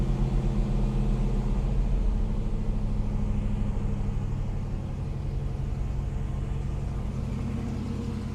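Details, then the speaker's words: 1966 Ford Mustang GT Fastback, 289 A-code V8 with 4-speed manual, freshly tuned, Flowmaster header and exhaust, idling just after a cold start. A deep, even, lopey burble settling down. Normal cold idle. "this was pretty much a cold start because I literally, before that, I just rolled it under the angle over here."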